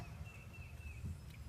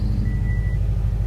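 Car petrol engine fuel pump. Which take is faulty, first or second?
first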